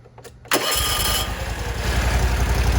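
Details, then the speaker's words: Exmark Radius mower (2019?) after carburetor cleaning, freed stuck spring/needle at carb bottom: cranks briefly, catches at once, settles into steady even low putter, idle seems kind of low; normal start and idle. "to this baby purr, boy. Can't get too crazy. Oh, it's kind of low."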